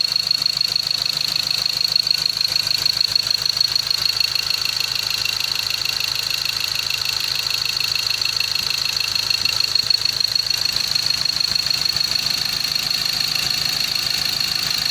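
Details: Ford Ranger T6/BT50 diesel brought in for power loss, stalling, heavy vibration and codes P0203/P0204, with injectors 2 and 3 serviced. A crisp, even diesel clatter at a steady idle with no hunting; no fault codes afterwards.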